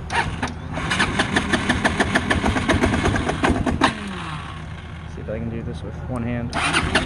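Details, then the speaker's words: Chinese Feishen FA-D300 300 4x4 ATV, warmed up after 10 minutes' riding and in neutral: the engine fires unevenly with sharp metallic pinging, then sputters and dies. Runs fine on throttle; owner suspects crank bearing or piston rings. "so it'll drive the ride's fine when you're on the gas then it dies sounds like it's pinging pretty bad"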